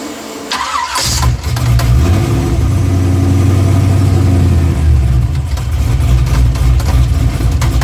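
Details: Engine cranks and catches, then settles into uneven rhythmic knocking at idle; cracked flexplate, confirmed on removal and replaced.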